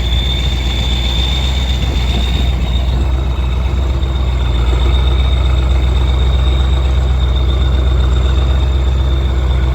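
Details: Kirovets K-700 tractor working in a field; steady high turbo whistle over a deep diesel rumble, turbo spooled up and behaving normally.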